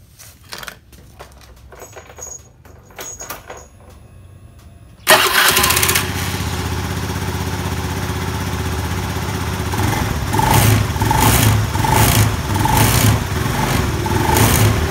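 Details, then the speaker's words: Honda Beat scooter revving with a coarse "rek rek rek" rattle pulsing on throttle, even after CVT service and a new pulley bearing; traced to a worn, loose rubber damper in the CVT clutch. "Ini waktu digas dia bunyi rek rek rek gitu. Padahal laker puli sudah diganti."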